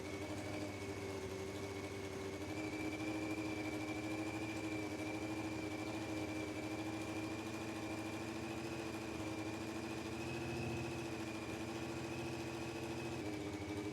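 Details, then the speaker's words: Honda CBR600F4i, first start after reconnecting the bank angle (tip-over) sensor: fast, uneven, lumpy rough idle that sits too high; owner suspects an exhaust manifold leak at cylinder 1, possibly badly fitted or the wrong size, not confirmed. "So it does sound really rough and it is idling pretty high, and I think the reason for that is there's actually a leak, an exhaust leak from cylinder 1, like the manifold."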